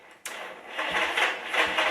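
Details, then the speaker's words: 1974 Honda CB360 on a battery charger, with the starter solenoid missing: uneven whirring as the starter spins the engine over without firing. "oh it is oh it's cranking it was just cranking over listen look i'll put it on 200 amps"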